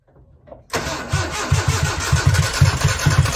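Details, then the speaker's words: 1995 Nissan truck, carbureted, with new wires, plugs and battery, firing order verified: starter cranks hard about three pulses a second with no firing, same even with starter fluid; owner suspects a fuel issue, compression and timing chain unchecked. "okay so that's how it sounds it sounds like it's about to fire up um so it may be a fuel issue"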